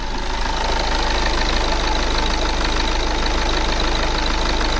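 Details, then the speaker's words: 2009 VW Tiguan 2.0 TDI diesel with a misfire fault, after a sensor was unplugged and plugged back in: steady, even idle with an unbroken beat and no misses or knocks, the engine running perfectly again, a normal idle. "everything back to normal now okay that's a little babies are so the engine now is is running perfect yeah it's running perfect"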